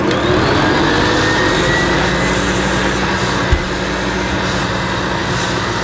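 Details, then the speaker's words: Hoover Senior C1300 commercial upright vacuum cleaner with the tool (pan) converter fitted for a suction test: loud steady motor roar with a constant hissy scrape as the long new agitator brushes rub inside the converter. "And because those brushes are quite long and new, I can hear them rubbing against the inside of that pan converter."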